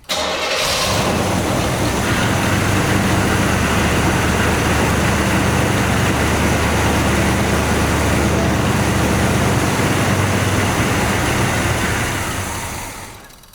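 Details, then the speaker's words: 1984 Monte Carlo SS, revived after sitting 22 years; after sitting overnight it would not idle without throttle, idling high then stalling: runs unevenly about twelve seconds then sags and dies; owner suspects vacuum leaks. "so after sitting overnight it did not want to idle on its own without a little bit of help a little bit of throttle so I wanted to go through and check for vacuum leaks you know when it did want to idle it would idle high and then it would want to stall"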